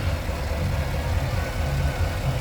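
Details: 2015 Cadillac Escalade 6.2L V8, new zero-mile replacement engine, code P0300, flashing check engine light: lumpy idle with irregular low thumps; misfire traced to cylinder 8 with no spark.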